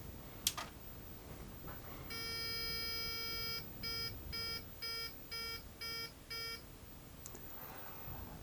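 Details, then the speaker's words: Early-90s Australian Microbyte HC120 XT-clone computer: power switch click, then one long and six short beeps, a BIOS error because settings are lost to a flat BIOS backup battery after power is disconnected. "those series of beeps and the squiggliness on the screen at the moment is basically due to a flat BIOS battery. Well, the BIOS not being set."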